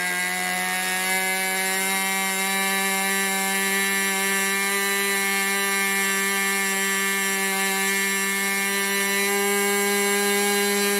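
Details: 1980s Irvine 40 MkII ABC glow engine with twin-needle carb, 10x6 prop, 7% nitro and 20% oil fuel, OS plug, on its first run: a steady, high buzzing drone at an even pitch with a slightly rough edge. It is running rich on the needle, which gets leaned.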